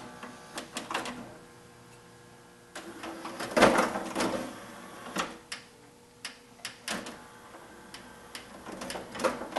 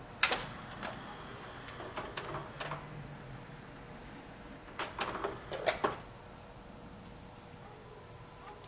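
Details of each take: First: Sony 5-disc CD changer, broken when received, before repair. Irregular whirring, clicks and clunks as the platter keeps cycling and stopping; platter mechanism malfunctioning from faulty position sensing. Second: Sony 5-disc CD changer after repair, cycling through all discs several times: scattered light clicks and short whirs as trays move and seat, then a brief tone, no grinding or skipping; normal changer operation.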